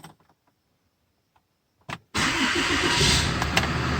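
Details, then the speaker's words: 6.7L Cummins diesel Ram after priming the fuel system by cycling the key to run seven times, four seconds each: brief crank, then it catches at once and settles into a steady, even clatter; normal quick start. "And it fired right up. See, it fired almost instantly."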